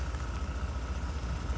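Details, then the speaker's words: Mazda Bravo B2000 2000 model carburettor van on LPG, high kilometres, after MCV dashpot fix: even low throb at idle with mild growl, no stumbles; misfire fixed, normal idle. "and yeah it's got a bit of a growl to it but if I bring the revs up a little bit it's fixed hope that helps"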